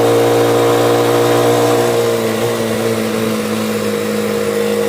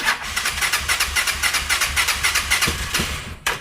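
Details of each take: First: Motorcycle cargo tricycle after replacing a faulty ignition coil: engine pulls clean and steady with no misses, knocks or valve noise and no longer stalls, though a tinny rattle comes from the exhaust joint's loose nuts. Normal running. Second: Motocarro (three-wheel cargo motorcycle) impossible to start in the mornings; fast rhythmic cranking three to four beats a second, a few rough catches, then dies; fuel confirmed present, hard start from weak spark.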